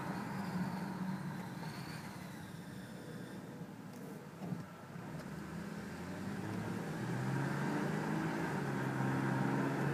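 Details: Subaru H6 3.0 with 5EAT automatic: a faint high squeal rides over road and engine noise during acceleration, and engine drone rises as the car speeds up.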